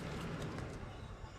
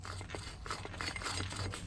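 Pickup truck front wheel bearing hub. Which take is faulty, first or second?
second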